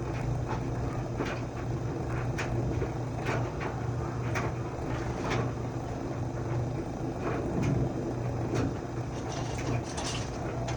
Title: LG dryer making a buzz noise.